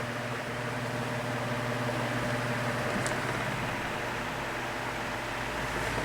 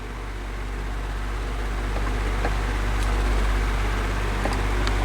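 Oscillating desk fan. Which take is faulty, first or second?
second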